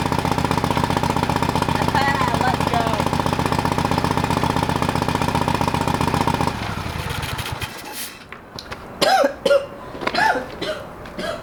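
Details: Old lawn mower being revived, first start after carburetor rebuilt and fuel added to the bowl: long uneven chugging at about four beats a second, dying off into clatter; slow, reluctant start.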